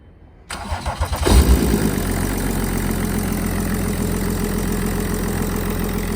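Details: Car that would not start and gave no OBD2 readings, fixed simply by charging the dead battery: a few quick cranking pulses, then a prompt catch and steady, even idle; normal start and idle.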